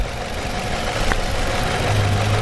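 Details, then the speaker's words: Nissan Altima petrol engine idling roughly with an uneven, stumbling beat and shaking; the intermittent misfire comes and goes. Unplugging the suspect ignition coil made no difference. "i'll uh i'll unplug that coil and see if it makes any difference at all uh because this is what you would do you know otherwise yeah see it's coming and going"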